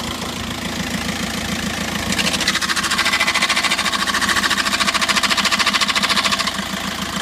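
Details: 2006 VW Jetta TDI diesel idle with loud regular metallic rattle about three a second when clutch pedal pushed, pedal hard, vibrating and not reaching floor; clutch disc broken into pieces.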